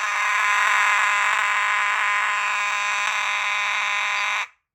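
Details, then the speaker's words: Alarm horn on a Potter PFC-6006B fire alarm panel running filtered DC, not full-wave rectified. A loud, steady buzz with a slight inherent rasp pulses about four times a second, which is normal. "And this horn does sound scratchy, so if you hear it and it sounds a bit scratchy, that's not FWR, that's just what it sounds like."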